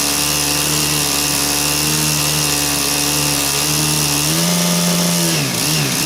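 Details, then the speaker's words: Stihl KM130 two-stroke with chainsaw attachment fitted, runs fine unloaded: drone unsteady, hunting under load, levels off with choke; fuel starvation, suspected debris under main jet. "up so you can kind of hear I mean it's running but if I give it a little bit of Choke it levels off a lot so it sounds like it's starving to me starving for fuel"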